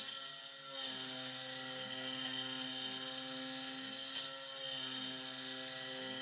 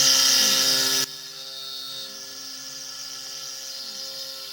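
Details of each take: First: SX2.7 CNC mill conversion with NSK ATC spindle cutting a steel lathe leadscrew handle: harsh high screech with choppy chatter about three times a second on the ramp, cutter struggling, cause unknown. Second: SX2.7 mill conversion with NSK ATC spindle, new end mill from same batch after previous cutter shattered: steady high spindle whine with even cutting hiss, heavy then lighter; cuts normally, previous cutter's grind suspected faulty.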